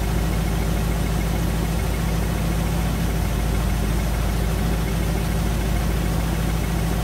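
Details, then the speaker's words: 1956 Chevy Nomad V8, sat over 2 years, idling: light, fairly regular valve train tick over the rumble, felt through the valve cover. The rockers are clipping the inside of the valve covers, which are also leaking oil. "that means that valve cover is not ceiling and there's a weird knocking noise ticking noise that wasn't there before touch this valve cover over here and I can feel it the same noise"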